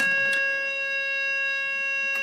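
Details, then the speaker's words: 1950 Astor NJ table-top radio under restoration: a loud, steady audio-generator test tone with clean overtones plays through the speaker with no crackle or dropout; the audio output stage is healthy. "cool cool that's working fine"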